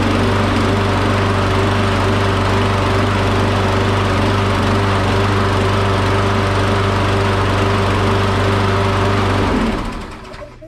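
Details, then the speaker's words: Briggs and Stratton engine after its governed RPM was readjusted (target about 3600) and just refuelled: a steady, even drone holding one pitch for about ten seconds with no hunting, so the governed speed sounds normal. "okay yeah it was a little surgery in the beginning but it was well right now i just put fuel on it so that's gonna need it so when that happens the ball just isn't all the way full but it was leveling out so the rpm sounds good to me"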